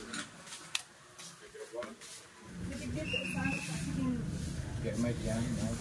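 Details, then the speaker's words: Stereo amplifier under repair, powered up for testing: after a few quiet seconds a loud, harsh crackling hiss rises and persists, loud enough to risk damaging speakers and tweeters; traced to dirty equalizer slider contacts in the input path. "bale Ayun napakinggan niyo mga ka Lovers ganon Pa Rin maingay siya"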